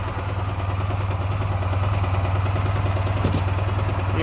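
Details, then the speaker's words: Honda Silver Wing 600 scooter, about 23–24 thousand km, slightly warmed idle with a regular knock about three per second from the lower end; the variator has been ruled out and connecting-rod or main bearings are suspected. "вот такое это нормально а вот такой ненормально поперечными то недовольный совсем чуть-чуть прогрелся мы будут более явной"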